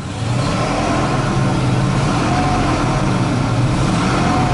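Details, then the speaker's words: 1973 Ford Mustang Mach 1 Grande Coupe, project car just revived after a coil change and a few gallons of fuel: steady even engine note rising and settling as it is blipped, no knocks or misses. Doesn't run bad; oil light on, likely a disconnected switch. "Doesn't seem to run bad."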